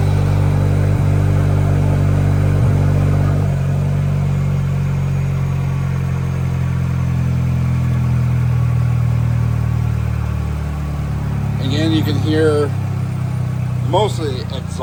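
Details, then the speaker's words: Chevy Silverado 2.7L TurboMax with S&B intake, downpipe and straight-pipe exhaust under the truck: deep loud exhaust rumble settling into a steady even idle, no knocks or misses, intake barely audible; healthy cold start and idle. "Like, you can't really hear a lot of the intake. You hear more of the exhaust noises coming from the truck, but that's just because I have that straight pipe exhaust system that's underneath the truck."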